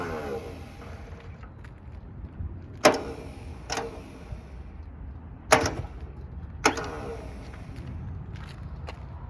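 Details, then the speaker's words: 1970 Subaru Sambar pickup, off the road 40 years, ignition hot-wired to crank: crusty starter whirs in short bursts with sharp clacks, engaging then dropping out intermittently; both cylinders show compression. "That starter's a little bit crusty. You can hear it engaging and then not engaging."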